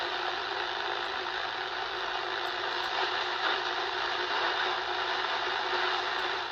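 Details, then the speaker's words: Hallicrafters SX-140 receiver after replacing selectivity/BFO potentiometer and IF realignment: steady hiss with faint garble, CW heard but no tone, SSB unreadable; BFO still not operating. "Just can't pull anything out. See if we can find some CW. Hear how you clearly hear CW happening, but there's no tone. You hear that? So we have no BFO is the issue still."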